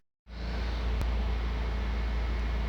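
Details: 2014 Fiat Palio (new model) petrol engine idling after throttle body cleaning, warm at 97 °C coolant with the radiator fan just switched on: smooth steady idle, faint fan whoosh; rpm, MAP, injection and lambda all normal.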